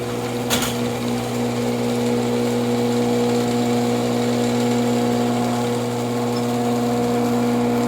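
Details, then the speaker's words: Older Genie IntelliCode screw drive garage door opener running after one tube of Genie lubricant applied along the screw track; steady, even motor hum, far quieter than before lubrication, no squeal or grinding; normal operation. "Screwdriver will make noise like it is now, but obviously you can tell that that is a lot quieter than what it was the first time."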